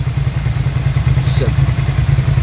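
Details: 2003 Suzuki SV650 V-twin idling after 10-15 minutes of running with a brand-new radiator fitted, with a steady, low, even twin thump and no knocks, ticks or misses. Leftover oil is smoking off. Normal idle.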